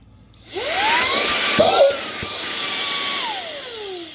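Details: Ryobi 18V PBLSV717 brushless stick vacuum, canister off, testing the motor directly during no-suction troubleshooting: spins up within half a second to a strong, steady whine with even pitch; motor suction normal.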